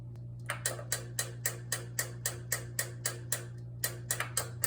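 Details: Kenwood EW7507EK oil-filled radiator heater not working, lights blinking: sharp evenly spaced relay clicks about four per second over mains hum; caused by thermal cutoff switch poorly connected to radiator, fixed by ensuring proper contact.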